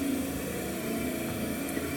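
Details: 1978 VW Bus during a 12V wiring test, with a broken wiper motor replaced by a Bug motor on an added bracket: a low, steady electric hum with no grinding; the wiper motor runs smoothly.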